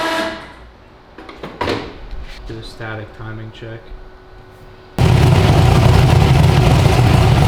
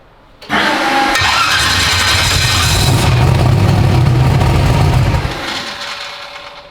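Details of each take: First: 372 small-block Chevy V8 in an original S10, on an LS tune file after timing was added; some clatter, then it fires at once into a strong, even, lumpy idle without misses or knocks. Normal idle. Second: 372 small-block Chevy in an original S10; the starter whirrs, it catches and roars about four seconds, then dies. Fuel smell and a wet pipe; owner suspects injector fuel pressure. Starts then stalls.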